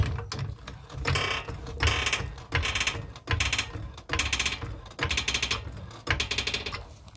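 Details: GMC Terrain front suspension lifted and worked: repeated dry squeaky creaks from a worn lower ball joint, noisy when turning and over bumps; fixed by replacing both front lower control arms.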